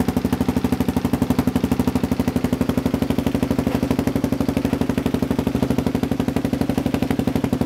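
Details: KLR650 idling at standstill after a Two Brothers slip-on exhaust and mid-pipe install, single thumps with sharp cracks popping from the exhaust, not while riding; owner suspects fueling needs a tune, jet kit.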